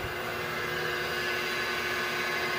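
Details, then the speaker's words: Willis 12" x 24" automatic surface grinder, 5 hp spindle motor with 14-inch grinding wheel, just switched on: quiet, even hiss and hum with no knocks or rubbing, normal running. "Okay, it's a 5 horsepower motor and 14-inch grinding wheel. We'll go down here, we'll turn it"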